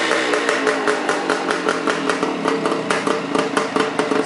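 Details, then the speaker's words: Even, steady two-stroke popping with no misses or knocks from a restored 1975 Suzuki 185, choke off, carb idle left as before teardown; normal healthy idle. "I didn't even adjust the idle on the carb or anything just put it right back the way it was when I tore it apart chugging right"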